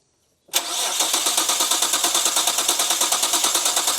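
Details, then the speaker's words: Imported Nissan GT-R under restoration, fuel pressure confirmed and spark apparently present: starter spins in even quick pulses, about seven a second, never catches; crank no start, suspected electronic cause such as unplugged ECU or immobilizer, unconfirmed. "So now it's going to be something electronic, I'd say, like ECU not plugged in or some sneaky immobilizer somewhere cuz it's definitely getting fuel and as far as we can tell, it's getting spark."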